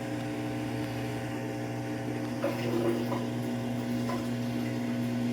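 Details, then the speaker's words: Samsung AddWash washer at cycle start, door locked, drain pump clearly audible: even low pump hum with water rushing through, no rattles or grinding; normal drain pump operation. "You can really hear the drain this time. Yeah, I don't know if this is going to be good, guys."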